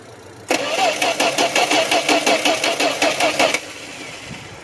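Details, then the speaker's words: 1972 Plymouth Valiant, cold start: three seconds of steady cranking with even compression pulses, never catching, and still no fuel pressure. Crank, no start. "No pressure. Still no fuel pressure. Keep cranking."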